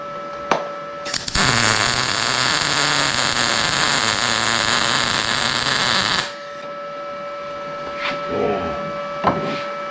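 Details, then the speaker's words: Arccaptain MIG 200 welder, settings shown in amperage: a steady, even crackling sizzle for about five seconds, then a clean cutoff; a smooth, well-set MIG weld with good penetration, near blow-through, so the setting could come down. "It's about the same thing. Wow. That's impressive, isn't it? >> Mhm. Good penetration."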